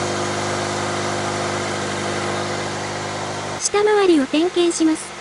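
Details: Toyota 86 / Subaru BRZ, about 7 years old: even idle then high wavering squeal rising and dipping with revs, at startup and when revving, from exhaust near post-catalyst; two exhaust mounting bolts fell out, pipe loose; fixed by installing new bolts.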